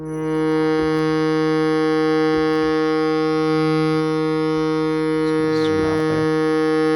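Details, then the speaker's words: Shruti box note that plays with a thin, metallic high-frequency ring over the steady reed drone, unlike normal notes. Caused by the reed touching the edge of its slot; a buzzing reed needing adjustment. "so immediately i can hear this ringing sound let me just play a different note so you hear a note without the ringing sound"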